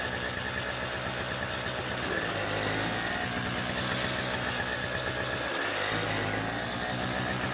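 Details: Toro CCR2000 snowblower, possibly 1990s, 4.5 hp Suzuki two-stroke with Mikuni carb, 50:1 mix, after cleaning carb bowl and main jet; steady, even buzzing run with small pitch shifts and no misses or surging, running properly.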